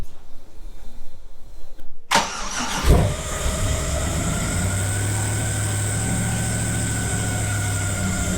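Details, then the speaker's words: LS-swapped Nissan 300ZX drift car starting after the build. A short crank catches and settles into a steady, even, deep idle with no skips, running way better: normal start and idle. "It's definitely running way better. We'll see if it runs."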